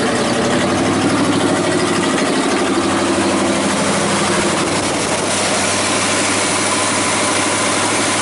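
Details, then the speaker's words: 1979 Chevy square body 3/4 ton 350 V8, sat about 23 years, first fire-up on fuel poured into carburetor: rough uneven idle, smoky, irregular heavy banging seemingly in the engine from underneath, source being tracked down; banging noise on start-up. "fires well it's fired a little Smokey got to find out what that noise is underneath of it it's kind of banging it's like it's in the engine"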